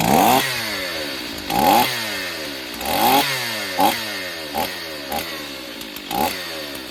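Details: Long-unused Stihl 028 Wood Boss two-stroke chainsaw, cracked pulse line found, filter off, thumb as choke: quick rev bursts about once a second, picking up cleanly; running fine, slow to wind up, needs tuning.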